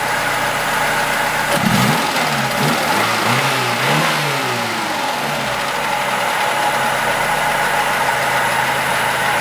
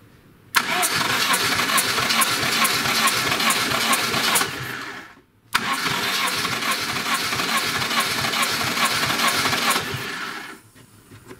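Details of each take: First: Lada Niva 21213 carbureted, cold engine; quick rev blip settles into steady, even idle with no tapping or clicking; smokes; alternator belt was loose; normal idle. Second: Lada Niva 21213 (carbureted, burning oil, fouling plugs, hard to start) cranking: two bursts of rapid cranking without firing. Compression gauge reaches 13, but owner says the piston rings are finished; low compression from worn rings.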